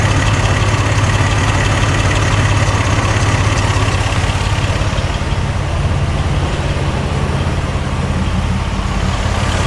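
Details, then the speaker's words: Barn-find Regal Turbo at idle after new plugs, wires, in-tank fuel pump and fuel filter, with 150 psi compression after adding oil: a lumpy, uneven, loping idle with a cylinder still dropping out; misfire persists, cause not yet found. "so what i'm gonna do is we're gonna put the spark plug back in it and see if it see if the misfire changed any at all"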